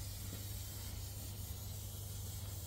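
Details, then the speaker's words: HGV trailer, rear axle area with the truck idling: steady faint hiss with no pulsing; air leak suspected from an airbag, a brake chamber or a pipe, and found to be a leaking pipe. "I walk past I could hear the air leak around the rear axle can you hear it I can oh it could be an airbag or it could be a brake chamber if it's really nice to me it could just be a pipe"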